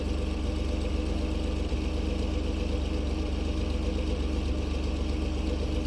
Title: 2012 F-150 EcoBoost cold start rough idle